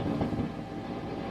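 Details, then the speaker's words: Matamp GT120 tube guitar amp, nothing plugged into input: steady low hum under constant hiss from failing first-stage preamp tubes, fried by an overly hot high-output send from a digital modeler into the amp input. "you hear that in the background right now the amp is humming and it's making noise and you've got nothing plugged into the front of it"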